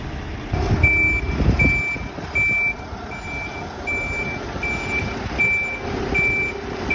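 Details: Golden Tours Volvo B8L MCV EvoSeti bus (fleet 207, LF20AXH) idling: high-pitched warning beep repeats roughly every half second without stopping; continuous alarm of unknown cause.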